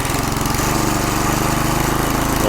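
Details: McLane 20-inch reel mower with small single-cylinder engine, sat 20+ years, governor calibrated and working: steady, even, quick regular beat with the governor holding speed; normal running.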